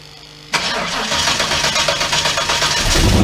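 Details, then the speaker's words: 1991 turbo Mustang after low-mount turbo scavenger pump install, idling while checked for leaks: starter catches at once and engine settles into a steady, even idle with no knocks or rattles; healthy. "Most of it was just me checking leaks while the car was idling, so you didn't miss a whole lot."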